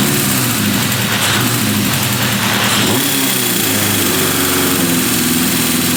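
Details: 1978 Honda CB550K after restoration, warmed up, 110 main and 42 pilot jets, timing set: after a quick blip the revs hang high a couple of seconds before dropping back, the sign of unsynchronized carburetors needing a carb sync.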